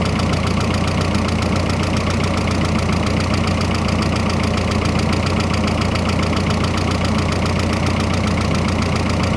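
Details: Freshly rebuilt engine's first run, idling with a loud busy clatter and loose pulse about two per second, barely quieter with the hood closed; cause unclear, owner hopes it just needs breaking in.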